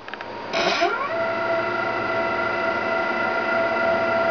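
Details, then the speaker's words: Sable 2015 machine during initial setup, X axis jogging back and forth: steady stepper whine ramps up in pitch as the axis starts, then holds an even tone; normal stepper motor drive noise, not gear drag. "that noise is not any gear drag or anything like that it's just stepper motor driving that's the x axis"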